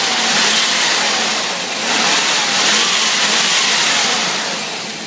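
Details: 5.7L engine after rebuild, rod knock gone: revs up and settles evenly with a clean, smooth note and no knocking under the rise; sounds healthy.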